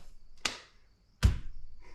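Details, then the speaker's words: Polaris RZR 800 S transmission that won't hold gear: two sharp, heavy clunks about three-quarters of a second apart over near silence; gearbox clunk, cause not yet found, case to be opened. "we'll tear into this guy and see what exactly is causing our issue that doesn't sound good though"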